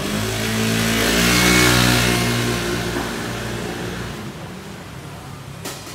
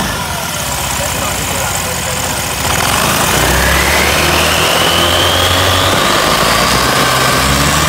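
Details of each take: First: Honda Lead 110i scooter after CVT clutch rework and air filter replacement, which also fixed its judder; engine revs up cleanly and smoothly, settling to a steady even note, pulling freely and healthy, stronger than stock. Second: Honda Lead 110i scooter, high mileage, weak with shaking; pulling away with quick steady clacking about four a second over the running note; worn CVT clutch judder, fixed by clutch rework and air filter replacement.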